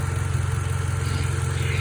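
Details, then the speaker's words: 2012 Toyota Camry idling: faint, steady high whine over the low rumble, traced to the failing alternator. "hey guys if you hear this wine and noise on your 2012 toyota camry and you want to see what's wrong with it watch i figured that it is the alternator"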